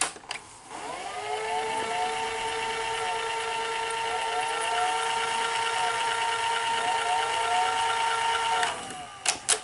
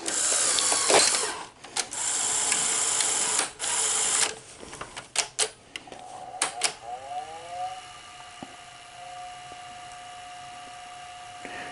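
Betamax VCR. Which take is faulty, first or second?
first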